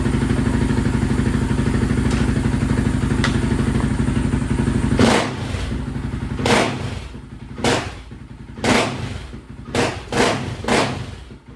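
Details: Honda TRX700 with Vortex ECU after map adjustments and water found in the airbox: steady rev drops into uneven, stumbling blips; better but still rough, owner suspects it is flooding, rich on the bottom end; cam unverified.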